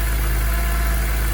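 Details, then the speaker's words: Retired BMW M3 track test car with independent throttle bodies, first run after sitting for years and a fuel system refresh: steady low idle with slight unevenness in the beat; a touch rough, suspected from long storage. "Oh yes. Now she's a tad cranky from sitting for years."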